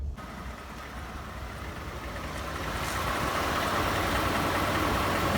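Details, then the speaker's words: Ford F-150 5.0 V8, which also burns oil and flutters on deceleration, at steady idle: a crisp, regular, diesel-like tick near four per second, said to be normal, source not identified. "ticking sounds like it's a diesel man definitely sounds like it's some sort of diesel with that ticking sound like that but apparently it's normal"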